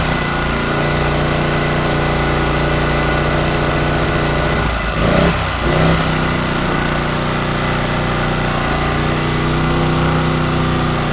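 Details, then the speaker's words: New Champion generator on its first start, choke on, half a tank, before the break-in oil change; settles into a steady, even, fairly quiet drone with constant pitch and no surging or rattles; healthy. "Wow, it's not even that noisy."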